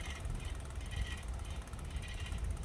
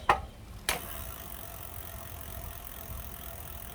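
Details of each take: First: Lectric step-through e-bike: quick light metallic ticking repeating over a soft whir as the wheel turns, only when pedaling; disc brake pad rubbing the rotor, brake cable recently rerouted. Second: Lectric step-through e-bike wheel after loosening and readjusting the brake: a couple of clicks, then the wheel spins quietly and evenly with no brake rubbing.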